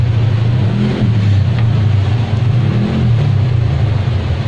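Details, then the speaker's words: Electric fan that will not spin: steady low mains hum with no blade whoosh; motor energised but stalled, shaft likely stuck in a dry or worn bushing needing replacement. "pagkaganyan, maaring stock up yung kanyang shating sa busing. Maaring natuyuan to ng langis o kaya'y maluwag na yung pinaka-busing niya, kailangan ng palitan."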